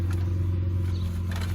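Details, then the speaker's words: Damaged last-of-line FGX Ford Falcon, 4-litre Barra six, idling steadily with a deep even drone and faint puffing underneath; small exhaust leak under the car, suspected to be from forklift damage. "The 4-litre Barra sounds okay. There's a bit of an exhaust leak under here. You can kind of hear it sort of cut away, and I believe that's probably from a forklift."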